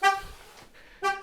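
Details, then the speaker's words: 2024 Chevrolet Trax with dead key fob battery, driver's door opened with the key blade: two sharp electronic chirps about a second apart, the anti-theft pre-alarm warning beeps that stop when the ignition is turned on or the engine started. "okay so you can hear it beeping at me"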